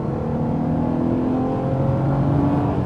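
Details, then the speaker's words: 1980s Italian composite-bodied V6 car on the road under acceleration: smooth rising engine note pulling cleanly with no knock or rattle; engine sings, healthy, though some body panel rattles are noted. "just sings it's not fast fast but there's definitely a feeling of like whoa we're driving a very very composite car"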